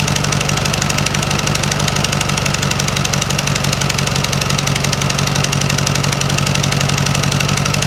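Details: 1956 VW Beetle engine idling on a Solex 34 PICT 3 carburetor: a fast, steady puttering tick on every firing pulse. Exhaust puffs out the heat riser flanges, which have no bolts on either side, not valves.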